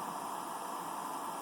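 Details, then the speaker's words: Computer power supply after a glue/insulation repair attempt on the coil, still giving a steady high-pitched whine with hiss, possibly worse than before; coil whine not fixed. "better in fact it may sound may sound actually worse than it did before it's possible that I completely failed at doing this which is kind of disappointing"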